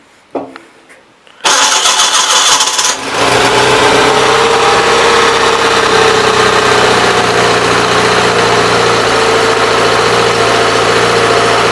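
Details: 816 tractor first start after a fuel pump change; the small engine cranks, catches within a second or two, and settles into a steady, even idle with no stumbling while being checked for spewing fuel. Normal start and idle.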